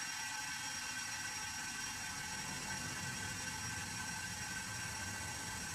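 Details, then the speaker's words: CRT picture tube being safely vented by punching its small hole with a clamp and hammer: steady, soft, airy hiss with no pitch change as air bleeds into the vacuum. "берем клямру молоток прикладаємо сюда і зараз буде звук буде шипіння"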